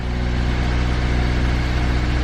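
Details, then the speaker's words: Older Nissan in self-diagnosis mode, oxygen-sensor rich/lean check on the check light, held at about 2000 rpm: smooth, even hum, no knocks or misses; engine running healthy while switching rich and lean. "a tentar controlar mistura pobre mistura rica que é o que é suposto eu não pode ficar parado enquanto está assim assegurado até o ruim às vezes acontece mas tem mais tendência para ficar parada mas assim enquanto está acelerada há cerca de 2000 ele tem de ir buscando que é ele avaliar mistura rica mistura pobre é mesmo"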